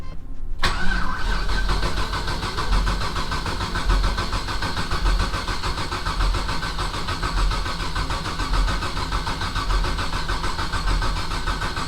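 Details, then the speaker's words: Rally Camaro LS V8 on new Aces Jackpot standalone ECU: starter cranks in a slow uneven rhythm but never catches; no spark, almost certainly because the coil pack was grounded through valve cover bolts isolated by the gasket; planned fix is grounding elsewhere. "Anyway, so we're I'm 98% certain the reason we weren't getting spark is because we had the ground on the coil pack here. And there's a gasket on the valve cover, which means it's not an actual ground."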